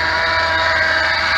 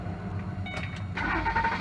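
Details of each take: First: 2006 Ford Explorer Eddie Bauer V8 running: steady high-pitched chirpy squeal that grows louder near the idler pulley, a worn idler pulley bearing, which is then replaced. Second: 2006 Ford Explorer Eddie Bauer V8, after replacing bad squeaking pulley: cranks, catches and settles into smooth, even idle with no squeak or chirp from belt drive; sounds healthy.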